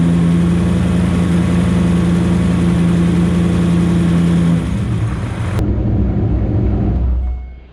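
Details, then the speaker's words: Supercharged Corvette V8, hot, with a misfire on one side: a loud, steady hum held at the one rpm where a fast, light tick comes through, a suspected lifter tick, before revs drop away; valve covers not yet pulled. "I just found the right RPM that you can hear the lifter tick, so I'm gonna prompt you guys right here and hold the RPM, so hopefully you can hear the tick."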